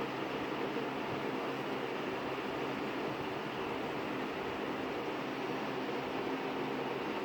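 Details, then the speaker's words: 20-inch Lakewood S223 second-generation box fan: steady even whoosh of air, no hum, rattle or bearing whine; bearings smooth, likely oiled once, only a slight grill rattle noted. "Yeah, aside from that grill, it sounds like it runs nice and quietly. The bearings on this are very nice too."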